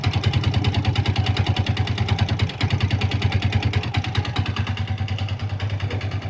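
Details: Old Yamaha Vixion motorcycle idling unevenly with a dry, rapid kletek clatter over the thumping exhaust beat, typically from a worn, loose piston; neglected oil changes are given as the cause. It was quiet after the engine rebuild.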